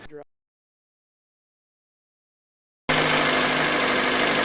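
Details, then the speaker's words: 2007 Pontiac Vibe, Toyota 1ZZ-FE 1.8L, after water pump replacement (old pump growled on cold mornings): engine idles smoothly at constant pitch, no ticks or knocks, belt routing correct; sounds normal. "And everything looks like it's supposed to over here in terms of the belt routing and the water pump, and everything seems to be running smooth and sounds normally."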